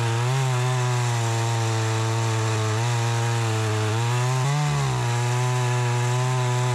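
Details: Troy-Bilt 20" two-stroke chainsaw after carburetor adjustment, cutting wood: a high, steady scream sags only slightly as the chain bites and recovers at once; it runs strong and cuts better than ever since new.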